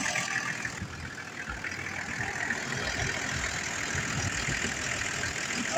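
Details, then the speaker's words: Abandoned Land Cruiser ute found near Condobolin, started with basic tools and a battery; some wiring melting, clutch fluid leaked out: steady, even diesel idle with a soft, low chug; started straight up and runs cleanly. "that is running that is just amazing that is just unreal that thing there started straight up that's incredible"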